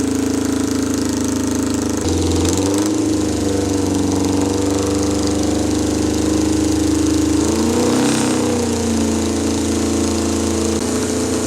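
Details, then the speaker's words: 1979 Kawasaki KZ650 bobber, carbs being synced; uneven, hunting idle surging and sagging with a faint hiss; vacuum leak at number four carb from a torn carb intake boot, boot replaced. "we're having a problem sink in the carbs because that number four carb was was leaking vacuum"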